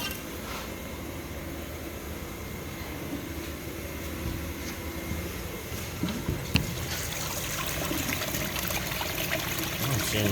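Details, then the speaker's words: Blowdown of the low water cutoff on an older boiler with an intermittent control board problem (contactor suspected): steady rushing, trickling water draining freely and clean, no spitting or knocking; normal blowdown. "let's blow it down um this should be our low water cut off"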